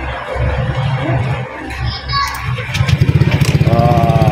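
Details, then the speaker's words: Honda Click V2 scooter started right after an oil-change reminder reset: catches and settles into an even putter, then a small throttle blip rises cleanly; normal idle. "Maandar na siya. Paano yung malalaman na maandar?"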